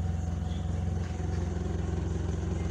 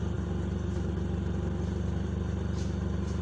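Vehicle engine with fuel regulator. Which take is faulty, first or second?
second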